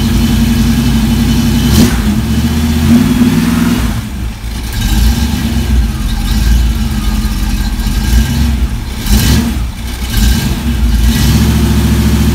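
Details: V8 on run stand with new mufflers for sound test, second run heard from about four feet from the nearest muffler: fires up, deep lumpy rumble, several clean revs, steady and even with no knocks or misses; normal start and rev.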